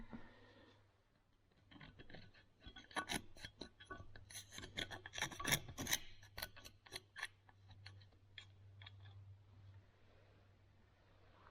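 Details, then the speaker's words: Kubota BX23S snowblower drive pillow block bearing spun by hand on the bench: dry, gritty rasp and scrape; the bearing is destroyed with its seal gone and was the source of the chattering; mount bolts were loose. "that one is toast everyone in the comments who said it was probably a bearing you're right"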